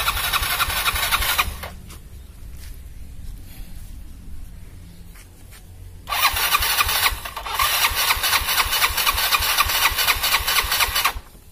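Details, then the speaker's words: Yamaha Mio scooter after engine rebuild for oil smoking (oversize 50 piston, valve seals, gaskets, new plug), first start to check oil pump: small single cranks, catches, buzzy idle, even revs; starts readily and runs clean, no longer smoking. "Ok sekarang Coba kita hidupkan dan kita tes kompa oli dari motor ini"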